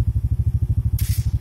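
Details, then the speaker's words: Yamaha automatic scooter (e.g. Yamaha Xeon): fast steady idle thump, then brief metallic grinding whirr as the starter engages again with the engine already running, unlike a Honda injection scooter. "kedengaran ya ada bunyi kontak ke dinamo starter motor Oke jadi berbeda dengan motor Metrik injeksi Honda yang tadi ya"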